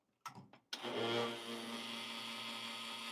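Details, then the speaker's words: Lelit Bianca espresso machine with flow control wide open at full pressure gives a loud, steady, slightly pulsing pump drone after a couple of clunks. The noise disappears when pressure is lowered; the initial noise is still unexplained. "okay okay so this pretty loud but if I'm going to lower the pressure okay the uh the flow flow control"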